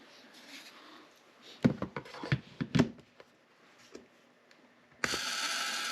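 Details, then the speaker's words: Ford Model T ignition coil, rebuilt, tested on buzz box at about 1.2 amps: handling clicks, then steady even high buzz; coil sounds normal despite a tiny point gap. "that's another normal sounding one in my opinion"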